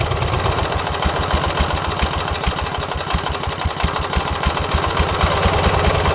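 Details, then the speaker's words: Twin run with one cylinder head removed, after a damage check following oil in that cylinder: slow, loud chuffing putt with an open, uneven bark, one cylinder firing and the other open and dead. No damage found. "I'm getting ready to fire this engine up on one cylinder with the head off this side and everything seems to be operating pretty good"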